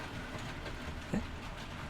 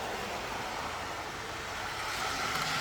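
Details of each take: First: Double-O gauge model train on track laid straight onto a wooden shelf: low steady rumble with light irregular click-clack at rail joints, no grinding or squeal; normal smooth running. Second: TT120 model railway layout: train passes from a quiet section with no cork into a section glued to cork on foam, where a steady hissy roar with fast even clatter of about four a second rises sharply; cork underlay amplifies the noise.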